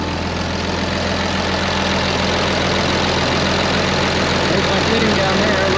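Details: 2005 Ram 2500 diesel idling after FASS lift pump and fuel line replacement, no leaks; steady, even clatter with no misses, surging or knocks, left running to clear up: normal diesel idle.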